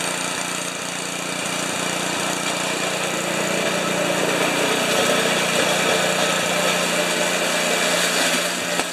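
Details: 1973 Tecumseh single-stage snow blower engine after carburetor reinstall and leak check, augers always turning while running. Steady single-cylinder beat, about 220 firings a minute, even, no misses or knocks; normal running.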